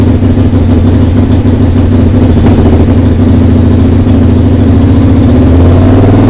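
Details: SV twin under restoration, just started after carb rebuild, TPS setting, regulator change and fresh fuel: uneven, lumpy running with a loud raw exhaust bark and ragged firing. The owner suspects an exhaust leak.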